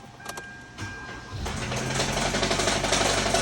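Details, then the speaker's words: Kia Rio 1.6L GDI engine started up: after cranking it catches and a rapid, fairly regular knock, about four per second, rattles over the idle with chatter felt through the engine; failing crank bearing, engine then pulled for teardown. "That is the sound of the dying horse. That one is bad. That's how it's sounding right now. And I can feel the chatter of the engine."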